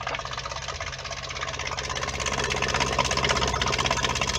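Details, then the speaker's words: Whale FP0184 Watermaster pump in a 16-month-old Bailey motorhome, after fixing the pressure switch following winter no-flow fault: quick, steady buzzing pulse building up to pressure, then cutting off, restarting when a tap opens; normal water pump running. "you can hear the pump running now bit of a gurgling sound but no speak spring it that motive up to pressure there we go now the motors got to pressure and it's cut itself off"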